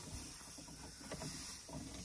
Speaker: i've done that with both of these and they are still leaking i'm so frustrated can't stand the sound of leaking air in the dash